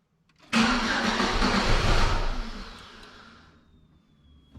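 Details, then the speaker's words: 2002 Pontiac Sunfire off the road since 2011, after fuel pump replacement and refuel: short crank, catches cleanly and settles to a quiet, even idle with no smoke; normal first start in 11 years. "i instantly like the way that sounds what what oh my god dude she curves you see that not even smoke man"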